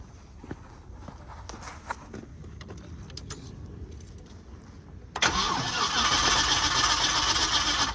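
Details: Car with fuel pump suspected faulty, restarting after waiting: starter whirs steadily about four beats a second but engine never catches; cranks without starting, cause suspected, not confirmed.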